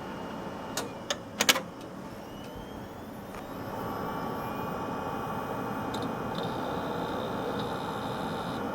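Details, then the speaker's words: Gateway LP mini tower, 700 MHz Athlon, IBM Deskstar hard drive: a few clicks then steady faint hum with thin high whine holding level; drive spinning evenly and healthy, though the system keeps freezing. "listen to that beautiful desk star. It was the day when desk stars were good. They weren't referred to as Death Stars."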